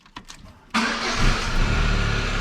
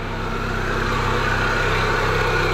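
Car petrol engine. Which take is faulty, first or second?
second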